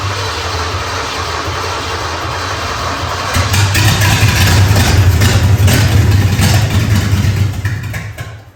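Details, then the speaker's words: 3rd-gen Camaro Z28 305 H.O. V8 carburetor primed, gravity-fed fuel: cranks about three seconds, catches into a loud rough run for four seconds, then dies; fuel starvation, the feed can't draw fuel fast enough. "So, the first attempt was a failure. It's not starting and running long enough to actually pull the fuel from the gravity feed that I had set up."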